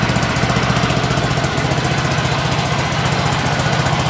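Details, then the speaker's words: 1983 John Deere mower's single-cylinder engine, running after a new battery was fitted: steady, even thump at about four beats a second with no misses or knocks; runs smoothly. "Still runs perfect. Still runs perfect."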